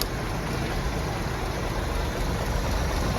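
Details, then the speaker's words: 1971 Ford F250 unrun 22 years, untouched except fuel added, just started cold: steady, coarse idle with an uneven low rumble and no clean rhythm; owner expects it to improve with temperature. Rough cold idle, cause not pinned down. "not quite turn like a kitten but I think with a little temperature in it look at that 22 years sitting"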